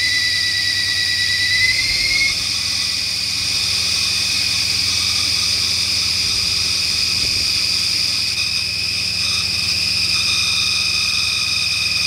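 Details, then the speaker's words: 1996 Ford Mustang GT after a no-start, now running on gasoline alone and smoking: a high, steady squeal over a faint idle, shifting pitch slightly, suspected slipping accessory belt, quieting as the engine smooths out. "the belt noise is quieted down now it's starting to smooth out a little bit"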